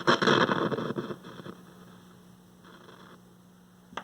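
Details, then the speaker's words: 1960s Lloyds AM/FM transistor radio, estate-sale find with a nearly frozen tuning dial and frozen selector switch: a static burst at switch-on settles into a faint steady low hum under light hiss. The hum is less than before and its source is unclear. "that's not humming as much as it did but it's got a bit of a hum to it"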